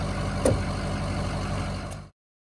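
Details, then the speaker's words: Ford 6.0 PowerStroke diesel after the Blue Spring fuel pressure mod: steady even low rumble at idle with no knocks or roughness, smoother with less vibration than before; idling healthy. "There's a little bit less vibration, which is a lot better for a motor, actually, you know, because diesels being, vibration's what kills the motor. So being less violent, whatever, per se, will actually save the longevity of your motor also. And plus, just listen to it. He's purring like a kid."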